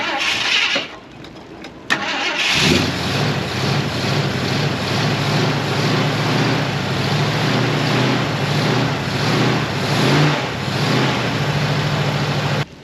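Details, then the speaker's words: 1973 Ford F250 with FE390 V8, revived after long storage, with fresh plugs. Long cranking, then it catches into a lumpy, uneven low idle. It clearly needs carburetor work. "Turn the idle screw up a little bit, see if that'll help. What's coming out the exhaust. It's not bad at all. Well, it clearly needs some carburetor work."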